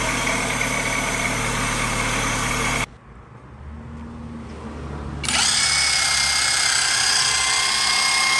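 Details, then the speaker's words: Fiat Fire 1.0 engine in a 2010 Uno with automatic tensioner, idling with the alternator belt removed: steady high whirring whine persists from a worn water pump bearing; an alternator bearing noise also remained despite a previous alternator bearing replacement. "não sei se no vídeo vai ser possível ouvir mas é audível um barulho de rolamento assim como um barulho como se fosse Correia esticada vou remover a correia para ver se continua"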